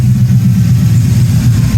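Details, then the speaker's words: Freshly assembled 6.0 LQ4 LS V8 with truck cam and DynoVox exhaust in AWD OBS GMC Sierra, first start, cold weather, good oil pressure, tune still needs work: deep even burble, no knocks or ticks; normal idle. "6.0 sounds good. It's got good oil pressure."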